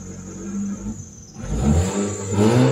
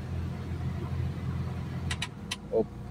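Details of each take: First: Mitsubishi Lancer Cedia automatic, before repair: starts with no check-engine light, RPM rises and falls, responds sharply when revved but won't hold idle and dies. Stalling attributed to a dirty throttle body, which is removed after scanning. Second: Mitsubishi Lancer Cedia automatic that stalled after starting, after reassembly: steady, even low idle with no hunting or stumbling, a few clicks and handling noises over it, idle now holding. Normal idle.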